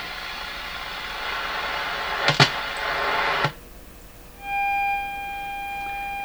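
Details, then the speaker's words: Sony TR712 transistor radio during signal-injection testing: a tone fed into the input side of the transformer comes through buzzy, full of harmonics and hum, while the output side sounds clean. Harmonic distortion. "sounds full of harmonics that doesn't it's got the hum in it"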